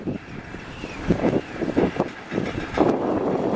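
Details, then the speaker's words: Wind turbine on a trial run: irregular metallic rattling bursts over gusting wind from the chain drive slapping inside its box, which amplifies the noise. The vibration is worrying. "the sounds are not pleasant from the box , the box seems to amplify all this, well, I hear the"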